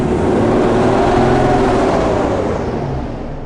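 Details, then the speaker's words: 1980s sports car barn find unused for 16 years, first start: engine held at a high steady howl never returning to idle, then fades when switched off immediately; throttle stuck open, runaway revving. "the fra was stuck on then so that's why it revved out so when it cut out that was me turning the engine off immediately"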